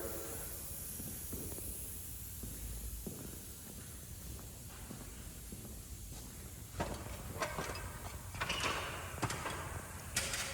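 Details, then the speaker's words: Brand-new Harbor Freight air hose reel, air turned on: soft continuous hiss under faint handling noise from air leaking at the reel swivel past an internal O-ring. The reel is to be taken apart and repaired. "They leak right here. Actually, this one ain't too bad. But there's an O-ring in the inside of this."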